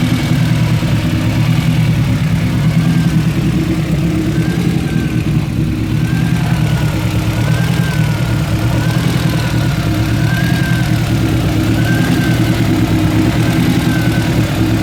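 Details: Honda Civic EG with B16A2 engine fitted with CBR954 individual throttle bodies, running poorly after the ITB installation: loud, lumpy four-cylinder idle with uneven stumbles and smoke; rough-idle misfire.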